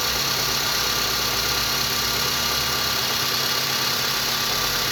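Steady idle with a loose, uneven tapping at roughly two per second over a hissy background points to a knock of unknown origin.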